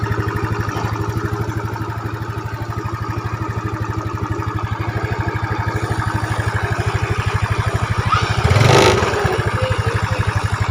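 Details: Yamaha Mio Smile scooter after timing chain replaced with a Honda chain and valves adjusted: idles smoothly with an even beat and one throttle blip; slight hiss because the chain tensioner cover isn't fitted yet.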